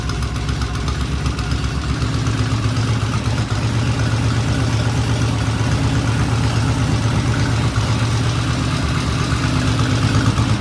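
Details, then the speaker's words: 1974 Norton twin-cylinder motorcycle. Low, loping idle at about 800 rpm, deep and steady with no tapping or misses. A healthy, well-adjusted normal idle. "That sounds great. I mean, what is this, about 800 RPM? Yeah. That's an 800 RPM idle. Thing is incredible."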